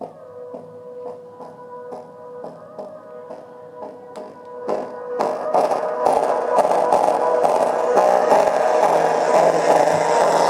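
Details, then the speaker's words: JBL Clip+ Bluetooth speaker playing music: thin, bass-less sound turning buzzy and crackly as volume climbs; owner guesses the 40mm driver's rubber ring surround is gone, to be confirmed by teardown: speaker crackling distortion. "so this is the problem my guess is the speaker ring is gone"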